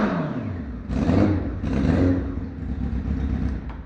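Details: Crashed, wrecked 2006 Honda CBF 600 S on a systems check, battery reading 12.5 V with multimeter before start: brief starter whir, two sharp revs as it catches, then settles to a low steady idle; engine starts and idles.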